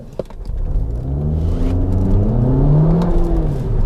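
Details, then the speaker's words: Mk2 Audi TT 4-cylinder automatic quattro, hard launch on greasy road with traction control off: revs climb smoothly in a steady rising drone, no flare or slip; Haldex all-wheel drive working normally. "So there, as you can see, that was nice and clean, no slip at all. That's with TC off, so no intervention there to smoothen that out."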